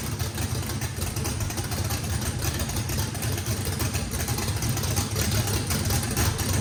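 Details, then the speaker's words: Brand-new drag-race motor with a race camshaft, first fire-up, deep choppy uneven idle at about three pulses a second, no misses or blow-by. Overlap and lobe separation needed lots of throttle, blade about six percent open; normal lopey idle. "all right guys fire in the hole fire in the hole sounds good uh this motor i think has the overlap and the the the valve lobe separation on it makes that thing uh had to put a lot of throttle in it"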